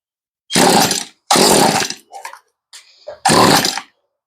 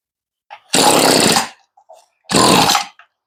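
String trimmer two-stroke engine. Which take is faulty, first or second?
second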